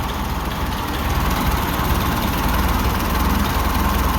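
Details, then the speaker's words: Ferguson TO-20 tractor, about 70 years old, idling after fixing valve tapping (oil now reaching valve rotators, pushrods turning): steady low idle, even unhurried beat, no valve-gear ticking; some belt noise; normal idle. "okay got her purring you can't really tell the Fiat belts making a bunch of noise here I'll be quiet it down no Ticky Ticky"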